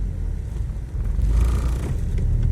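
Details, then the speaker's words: Geely CK-3 driving: deep steady droning hum and body vibration in the cabin; owner suspects the front engine mount, possibly the gearbox-to-body mount. "я конечно подозреваю что это подушка под передние на двигателе может быть даже та которая от коробки кузову будем посмотреть"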